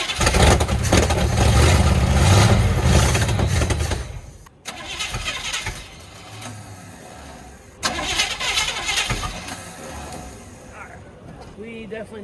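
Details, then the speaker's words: 1969 Chevy C10 bought sight unseen, fresh battery and fluids, fuel tank removed: slow, heavy cranking for about four seconds before it stops, engine barely catches, exhaust largely gone; weak, failing starter. "need a starter sounds like our exhaust is basically gone too"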